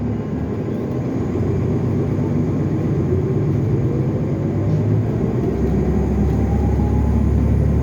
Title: SEPTA Route 70: 2015 NovaBus LFSA 62102 HEV #7445 w/Turbo Whine!